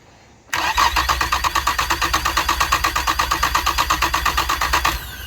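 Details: Honda 225 outboard: no red light or beep at key-on, fast even starter chugging about four seconds without firing; grounds, wires and key switch checked without effect; bad main relay found, replacing it fixed it.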